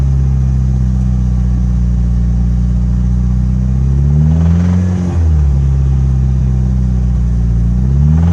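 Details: Mitsubishi Evo 8 petrol engine idling and blipped twice, deep knock from a spun connecting rod bearing on cylinder #3; oil filter held many metal shavings: rod knock.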